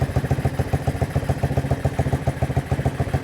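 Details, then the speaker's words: 1980 Honda XL185S single idling after sitting decades, filter off, fuel turned back on to check a leak: even regular thumping about three to four beats a second, no clatter; sounds really good, normal idle. "Sounds good. Sounds really good."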